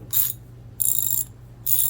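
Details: Older US-made True Value Master Mechanic T1260 3/8 in round-head twin-pawl ratchet, after cleaning and fresh lube: three quick bursts of crisp even clicks as the handle swings, no drag; sounds much better.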